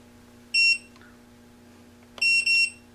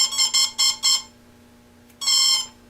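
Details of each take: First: Parallax Elev8 quadcopter with a HoverFly flight controller: a single high beep, then a quick double beep about two seconds later over a faint hum. This is the controller disarming before two ESC motor wires are swapped to reverse a motor's rotation. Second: Parallax Elev8 quadcopter ESC powering up with four quick high chirps, a pause, then one longer confirming tone with throttle back at idle; normal startup tones before arming.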